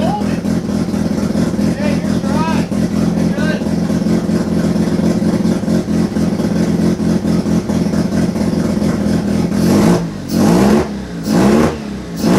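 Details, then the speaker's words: Turbo II FB RX7 rotary engine on its first real run, after leading/trailing coil checks; uneven, lumpy running with ragged blips, then a few hard revs near the end, never smooth or settled. Rough running. "yeah so yeah this first time that motor has ever really run so I'm super happy still a few other kinks to work out"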